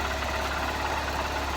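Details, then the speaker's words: Honda CBF 125 just after stator replacement, previously not charging: small single ticks over at an even, steady idle with a regular exhaust beat and no stumble; normal idle. "Well, that's a good start. It started."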